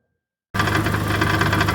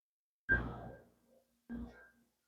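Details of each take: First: 2011 Chevy Aveo idling on all four cylinders after a failed 3.5-year-old ignition coil was replaced; a fast loose metallic rattle comes from broken substrate in the exhaust-manifold catalytic converter, damaged by the long misfire; exhaust leak also present. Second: 2011 Chevy Aveo after replacing a failed 3.5-year-old ignition coil pack for a cylinder 4 misfire, codes and misfire counters cleared: clunks, then cranks, catches and settles to a steady idle on all four cylinders.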